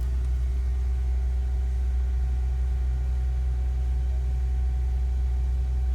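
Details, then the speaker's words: Mercedes-Benz C240 after fuel pump replacement fixing a crank-no-start: steady, even low hum with no misses, knocks or surges; idles smoothly, RPMs good. "I knew I would get it. RPMs are good."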